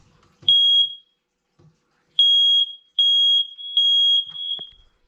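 Loud, piercing high beeps from a smoke alarm on test, clean and steady, a healthy sounder.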